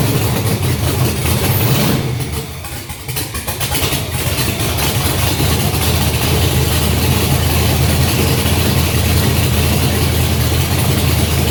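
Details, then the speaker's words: Junkyard GM LS 5.3 V8 first fire on engine stand, no coolant, oil pressure 20 seen, run briefly: deep even idle with steady lope, no knocks or ticks after a brief dip; normal idle. "Nice. Sounds good. Let's go ahead. Let's do a few more seconds. Just because. Sounds good. And we have a runner. So I think the thing sounds pretty good."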